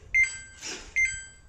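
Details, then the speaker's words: Samsung top-loader washing machine: two quick high-pitched beep pairs about a second apart, the alert for an IE/OE water-level error; this time the fault is on the main control board rather than the pressure sensor. "it's a samsung demon drum as you can see it's showing ie oe error"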